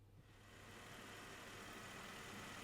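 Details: 1994 Mercedes C280 after replacing the fan bearing bracket and fan pulley, with a coolant flush, to cure a clicky noise first blamed on the fan clutch: steady, even engine hum with no knocks, squeals or bearing growl; fan drive runs smoothly.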